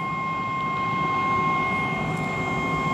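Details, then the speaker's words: 2013 Eberspaecher Airtronic D5 5 kW diesel heater on the test bench after glow plug change: fuel pump running and heater trying to start, a steady high whistle with low fan rush, but it fails to light; suspected under-voltage, with a voltage drop seen at the diagnostic adapter. "pump is working, fuel is going to the heater, and we can hear the heater start. It has this nice whistling sound."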